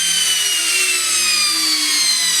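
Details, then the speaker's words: Samsung washing machine brushed motor tested bare on the bench, powered through a switch after multimeter continuity checks; high-pitched whine with thin tones sliding slowly downward, no grinding, spinning freely; Hall sensor also checked and working. "le moteur électrique là au travail, on a sonné aussi le capteur à effet Hall, nous nous sommes également assurés qu'il fonctionnait"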